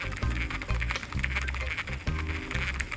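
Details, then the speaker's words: Cheapest Amazon casting reel cranked after landing many snakeheads and an 8 lb bass: rough whirring whine in bursts with each turn, not smooth; worn or dry gearing from hard use suspected, not confirmed. "it's definitely whining, that's for sure."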